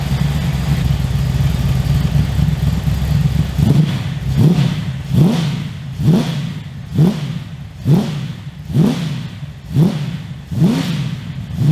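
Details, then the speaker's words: 355 stroker V8 in HX One Tonner, run after 11-12 years stored, shotgun mic walk-around, loud aftermarket exhaust: repeated sharp throttle blips about once a second rising and falling cleanly with deep, even growl: healthy revving. "Okay, so really happy with how that runs and how it sounds. So I think the exhaust from Repco Engineering sounds amazing. I'm really happy with that sound."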